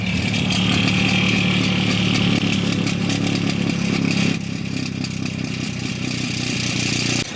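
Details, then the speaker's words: BMW just started and idling: loose, uneven metallic rattle from the exhaust flap, caused by a failed fixing bow linking the flap actuator to the valve; fixed by replacing the fixing bow. "so if you've ever come out to your car and you go to start it as I'm about to do now and you've just happened to hear this rattling noise"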